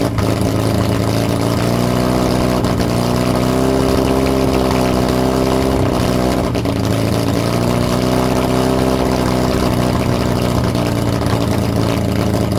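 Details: Lotus Europa Twin Cam, first runs, with valve clearances off, 123 Ignition distributor timing issues and Stromberg carbs spitting fuel back: engine runs unevenly, beat wandering and stumbling, no clean idle; rough running, cause suspected not confirmed.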